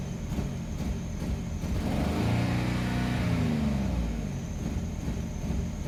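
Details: 2002 Infiniti QX4 with P0300/P0304 misfire codes, blinking check engine light, raw fuel smell: smooth-ish pull to 1700 rpm, revs bounce and stumble as pedal ramps, then shoots to 3700 and sounds fairly smooth; misfire under acceleration.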